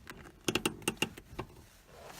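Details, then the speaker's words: Datsun 280ZX handbrake; quick run of five or six crisp ratchet clicks in under a second, then it locks into place and holds; the front wheels lock with it up: parking brake ratchet working. "brake works even if actually if I put this down right now the cars can start rolling maybe you can hear it click listen"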